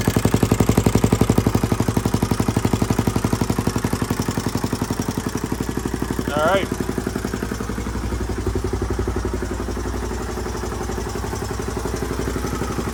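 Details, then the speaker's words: 1981 Honda XL500S single, first start after oil change, air filter and POR15 fuel tank patch, started stone cold: big single thumps evenly about four beats a second, no knocks or misses, starts easily; normal idle. "all right well she runs good i haven't had a chance to take her out on the road yet obviously but i at least know it idles and starts up pretty easily too"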